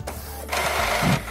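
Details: Epson L220 printer that had a blinking ink/paper error, switched on after the paper sensor lever and rear paper support were restored: short whirring and clicking as the carriage and rollers cycle. It is a normal startup without stalling; problem fixed.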